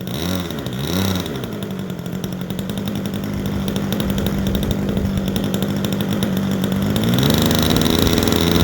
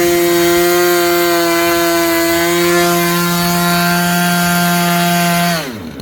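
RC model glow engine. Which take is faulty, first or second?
first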